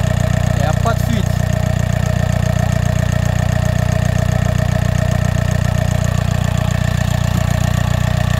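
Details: VAG TDI diesel (Golf/Seat/Audi), started after replacing the valve cover with the correct torque sequence and refitting the EGR valve and hoses. Steady, even idle clatter around 200 per minute, runs smoothly. No leak; problem fixed.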